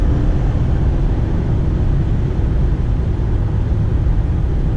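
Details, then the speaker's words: New 2018 Ford F-150 4x4 XLT 3.5 EcoBoost with 10-speed automatic, about 30 miles: deep, even pull under full-throttle acceleration with road rumble, flawless shifts and no turbo whistle or whine; normal acceleration. "I'll have to say just driving the truck down the road power is just there whenever you need it it's there shifting through the gears it's got the new 10-speed transmission in it and shifting through the gears is flawless"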